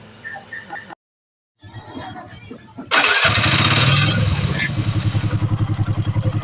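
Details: Bajaj Maxima Z three-wheeler single, repaired after lost compression and overheating (stuck valve, worn valve guide), reassembled; cranks, catches quickly and settles into an even, quiet thump about three to four beats a second; normal start and idle after repair.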